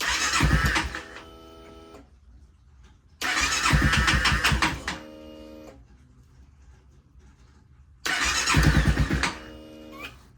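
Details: Honda Rebel 300 revival with a rusty tank and a repaired fuel pump, battery freshly charged: three long cranking bursts and the engine never catches; the owner suspects bad gas, and it later starts.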